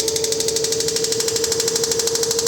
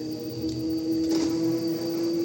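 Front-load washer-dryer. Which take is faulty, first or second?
first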